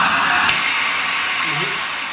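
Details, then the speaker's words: Shark vacuum motor sounds fine for a few seconds after switching on, then roars with a sharp pop and uneven suction, caused by a clogged hose or airway. "did you hear that popping sound if you turn it on it sounds perfect for a few minutes uh for a few seconds sorry and then it makes a weird suction sound what that means is that your vacuum is clogged"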